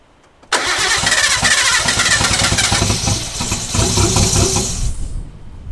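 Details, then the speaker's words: R32 Skyline being restored, first start before refitting the catalytic converter: starter whirr, then it catches and settles into a steady, even idle with no knocks or misses, plus a rattling noise judged not from inside the engine; normal start and idle. "始動しました！ただ、しゃらしゃら異音が鳴ってますエンジン内部の音ではなさそうなので一先ず安心"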